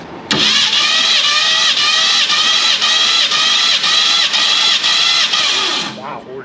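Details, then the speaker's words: Abandoned 1967 Ford Mustang Fastback small block V8 cranking on compression test: even, strong chug of about two firm beats a second with no weak strokes; compression reached about 150, healthy. "Yeah, I would. It actually got up to 150. Yeah, we got a runner."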